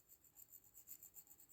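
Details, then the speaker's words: Retay Mod 92 shotgun, dried-out unlubricated firing pin assembly worked by hand: a dry, raspy scraping with each stroke, where it should move freely; lack of oil can cause ejection failures, spring breakage and jamming. "gördüğünüz gibi yahsızlıkta artık ses yapıyor. Normalde bu şekilde olmaması lazım. Rahat rahat çalışması lazım."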